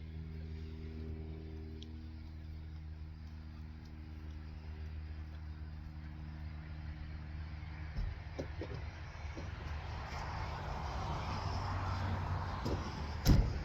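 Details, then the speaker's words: 1999 Mercedes-Benz C230 Kompressor W202 with flashing check engine light: holds a steady idle, then drops out about eight seconds in as it stalls when put in reverse under load; cause unclear after MAF, idle air control and throttle body unplug tests. "The engine's still having a very hard time. Engine stalled under load, put it in reverse, stalled right"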